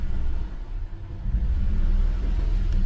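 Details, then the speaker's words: 2016 Toyota Tacoma at idle after clearing codes: deep, uneven, stumbling rumble and heavy shaking, check engine light returns with P0300 random misfire and cylinder 5 misfire; plugs found burnt and oily, coils suspected. "Sí se siente muy temblorina. Volvió a salir la luz."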